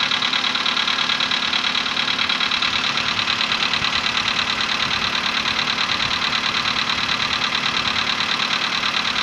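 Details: VW Polo Sedan, CFNA petrol engine, 105,000 km, before decarbonizing: cold start at 20°C after ~15 hours parked; sharp regular ticking knock about three per second over idle; cold piston knock fading within a minute as it warms.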